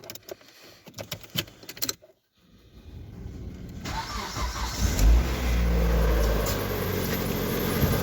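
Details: 2010 Mitsubishi Outlander 2.0 4B11, odometer reads 207 thousand (possibly rolled back), heavy oil use 1 L/1000 km, before teardown: rough idle with dull rhythmic knock, rumble and a whistling pulley; worn cylinders, suspected scoring on No. 4, pistons slapping.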